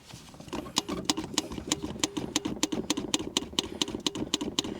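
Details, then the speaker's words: UAZ 469 (old, modified), revived after long sitting, cranking but not starting after hesitating and dying; steady starter chatter, never catches; no fuel getting through, see-through filter empty. "sounds to me like we're not getting any fuel now it was sort of hesitating and then just died"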